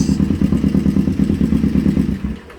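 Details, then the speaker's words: Motorcycle warmed up and idling for carb syncing: quick light ticking about nine a second from the head; timing chain slightly loose, bouncing on the adjuster, not bad, expected to quiet once the adjuster clicks to its next position. "i did uh find out that the clicking sound that we're hearing coming from the head is actually the timing chain it's not that it's bad it's just a little loose"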